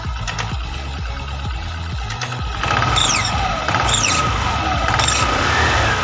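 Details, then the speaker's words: Carbureted Honda Vario 110 scooter, CVT just reassembled with upgrade parts; thin steady whistle/hum over revving engine, holding as revs rise; new clutch linings not yet bedded in, expected to disappear. "Biasanya kalau baru dirakit Migas ada bunyi dengung and atau ya soalnya rada berisik ya seng-seng gitu biasanya belum ngeplak sama ampasnya"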